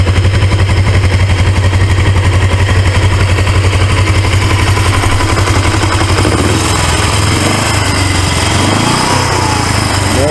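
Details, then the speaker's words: 1980s Suzuki GS450A automatic motorcycle on the high stand, shifted into drive (second/high) gear: steady low engine thump with loose rhythmic rattle; owner suspects a loose gear floating in the transmission, engine itself runs well. "you shi it to the second gear drive gear it is going to be rattling it's tail off I really hate that cuz the motor do run good"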